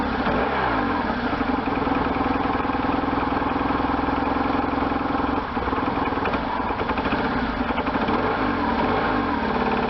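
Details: 1998 BMW R1100RT boxer twin, first run after restoration, throttle bodies not yet tuned; fires up and revs cleanly through the range, then settles to a steady idle with no knocks or misses, sounding healthy.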